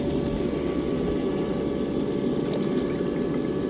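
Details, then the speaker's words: Intex SX3000 sand filter pump with sock inserted all the way to the bottom: steady, even motor hum and water rush, no rattles or surging; earlier made a weird noise with sock in, now running normally. "When I came out here and did this this morning, every time I put the sock in, it made a weird noise. So, I took the sock back out, and it was fine again. So, now it's not doing that."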